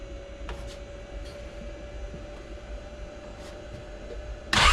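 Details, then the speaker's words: 2017 Can-Am Defender HD5 that would not start, after new LMAR8D-J spark plug: first start, quiet even idle with faint steady hum, no stumbling or hunting; idles fine. "Hey, that is awesome. My god, I'm so relieved."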